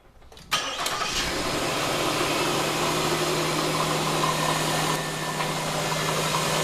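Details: Nissan Quest started after front engine mount replacement: engine catches quickly after a short crank and settles into a smooth, steady idle with an even hum and no knocks or clunks; valve cover no longer lifts, fixed.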